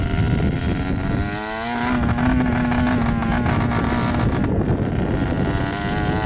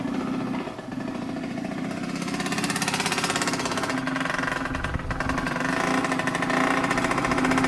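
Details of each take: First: Yamaha YSR 50 two-stroke with aftermarket DG pipe, leaking some gas, on its first ride after purchase: revs climb but the note is ragged and uneven under throttle; owner suspects something is plugged and restricting fuel flow; rough running. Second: 1986 Yamaha YSR 50 two-stroke on premix, just bump-started after the carburetor was reinstalled: buzzes and picks up, revs rising unevenly as it warms, but keeps firing with no knocks; sounds really good, normal running.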